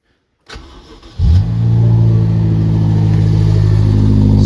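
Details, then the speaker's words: BMW X5M V8 after the exhaust flap modification, heard from inside with the door open; starter whir, then deep even burble with no rattle, deeper than before; normal exhaust note. "yeah, it sounds better. Sounds like it should. And again, it's a lot deeper sound and no rattling."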